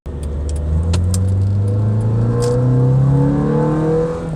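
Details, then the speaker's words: Honda CR-V RD1 that was cutting out while driving, after main relay replaced behind the glovebox; no cut-outs for a couple of days since: smooth steady engine note rising evenly with revs, no misses or stumbles; normal running. "It's been a couple days. The car hasn't cut out again, so I'm gonna call that a win."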